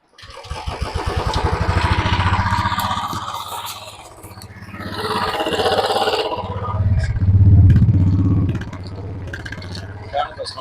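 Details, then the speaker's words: Royal Enfield Bullet BS6 at idle: the single-cylinder thump keeps swelling up and sagging back every few seconds instead of holding steady; the idle speed is hunting. "ഹൈഡിലേക്ക് കൂടി കൂടി നിൽക്കുകയാണ് ട്ടോ ഇതാണ് ഇപ്പോ ഇതിന്റെ പ്രശ്നമുള്ളത്"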